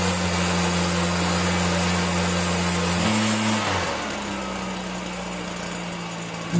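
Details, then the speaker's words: Stihl BR 340 backpack blower that wouldn't start because of water in the fuel, cleared by pulling it over with the plug out: it starts rough, then runs at a steady high idle that dips briefly and recovers. "oh okay guys so it runs good that's it i didn't use starter fluid i just took the plug out and pulled it a bunch of times"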